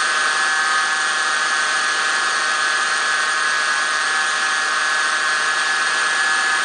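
Constant high-pitched whine holding one steady pitch the whole time over the engine, source under the hood not pinned down.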